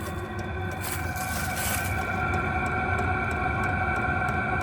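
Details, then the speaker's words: New VEVOR 8 kW diesel heater on a Jackery 240, warmed up, running without its exhaust muffler: steady white-noise hissing rush with a faint whistle and soft regular ticking; running normally, just loud unmuffled. "It's really like a white noise. I can put the muffler on just to see what it sounds like, and let's do that really quick here."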